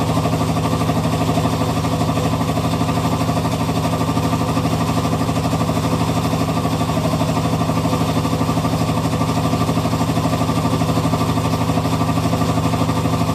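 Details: Hitachi Beat Wash Slim washing machine with a steady, regular rattle about three a second over a low running hum; owner thinks it may be nearing the end of its life, cause not found. Rattling noise.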